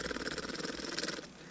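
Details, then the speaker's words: Czech PNV-57 night vision goggles powered by a 9-volt battery touched to the leads, microphone moved close: quick even ticking about a dozen per second, then stops; transformer working normally. "so I'm trying to just be quiet so you can hear the ticking that's a good indicator that at least the Transformers working"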